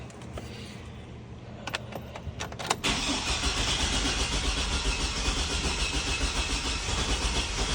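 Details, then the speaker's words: 2004 Chevy Silverado 4.3L RWD after a crank-no-start, restarted after the distributor cap was cleaned: several seconds of cranking with sharp barks, then it catches into a rough steady run; possibly flooded. "We're getting those barks. Ooh. Kind of acted like it wanted to start there at the end."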